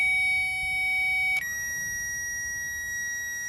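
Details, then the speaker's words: Classic Mini electric fuel pump, powered directly out of the tank after long storage had apparently seized it. Steady, bright, unbroken high electric whine with a slight tone shift: running normally. The owner thinks pulling the tank out dislodged it. "that's that's working for the time it's been sitting it's probably it sees the pump and just through the sheer force of us pulling it out knocking it about a bit it's dislodged itself"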